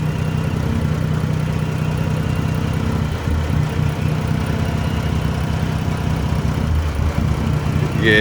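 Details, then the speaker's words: Dodge Journey alternator test, negative cable unhooked, battery holding 13 V: immediate problems where it normally takes minutes to cut off; low uneven hunting idle sagging, struggling to stay running; owner suspects alternator, not confirmed. "like i said guys would normally take a a a few minutes and then it cuts off but as soon as i took that off there's immediate problems immediate problems"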